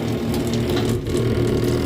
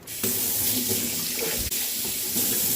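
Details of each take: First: Zurn faucet, cold water side: steady low buzzing vibration continuing even with the handle fully off; cartridge has vertical play, worn cartridge to be replaced; pressure reducing valve thought fine. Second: Zurn faucet after cartridge replacement, no handle wiggle: water runs in a smooth steady hiss with no chatter, hammering or shudder; pure hot and cold, no cross mixing; normal flow.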